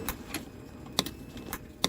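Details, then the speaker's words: 2013 CF Moto Z6 with no power to starter and corroded wiring; sharp isolated relay clicks over two seconds with no cranking; relay found bad again; relay clicking with no crank. "The frickin' relay's bad again. You listen. Hear it clicking?"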